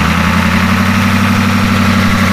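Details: IDI diesel just after injection pump replacement and bleeding: steady, even diesel clatter at idle with smooth low rumble, no misses or knocks; normal idle.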